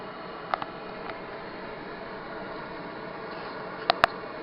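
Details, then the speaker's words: Propex HS2000 gas heater newly installed in VW T4 camper, flame setting: soft steady fan hum, sharp ignition clicks just before four seconds as burner lights; normal start-up and burner ignition. "Heard the click there, and that's the burner now fired up."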